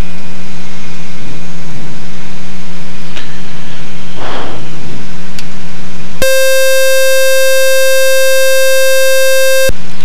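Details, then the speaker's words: RV-7 aircraft during startup test run: a loud steady electronic alarm tone lasts about 3.5 seconds then stops, one of many avionics alarms including a high current alarm, probably from the EFIS/EMS. "Okay, we're going back to the noise. I'm not going to call for taxi until I figure out that noise because it's just annoying. It's probably coming from the alarm on the dine-in."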